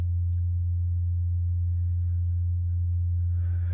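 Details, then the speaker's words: Newly installed HVAC system at a remodel job, running: a loud, steady, low droning hum from the refrigerant lineset, worst at one spot. The owner suspects he clamped the lines down too hard; the cause is not confirmed. "we have have that uh that humming from the refrigerant lines and it's really bad right here"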